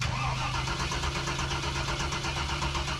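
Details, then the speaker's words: 1994 Chevrolet K1500 Suburban: starter turns engine over in an even slow chug but it never fires; no fuel delivery from a failed fuel pump. "We don't know if the fuel pump's bad or not that's on it. When we turn the key, it should prime."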